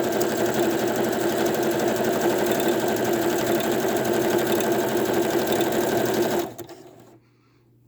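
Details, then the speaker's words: Sewing machine running while sewing paper pockets: steady fast ticking about four per second over the motor; clicking from a metal bobbin in the machine. "so i don't know if you guys hear that tapping noise do you know how they say not to put metal bobbins in your sewing machine"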